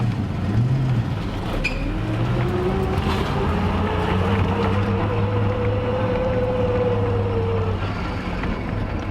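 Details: Custom turbo VR V6 Commodore ute with newly installed fully built G-Force T5 gearbox (micro-polished gears), first drive; thin whine rising with road speed, straight-cut-like gear whine, hydraulic throwout slightly noisier.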